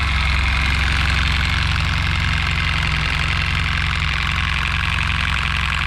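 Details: Worn Suzuki Burgman 650 scooter, true mileage well beyond the 39,000 km shown, with error C51 traced to a faulty crank position sensor: steady idle with a fast, loose rattling clatter about four beats a second. Timing chain clearly worn out.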